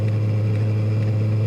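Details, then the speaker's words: 5–8 kW diesel heater (larger version) on its low setting after the lowest pump settings were raised, tuned with an AFR gauge: steady fan drone, faint fuel-pump ticks about twice a second, uneven burn; sounds unhappy, running lean and rough. "well what well it doesn't sound happy as weird"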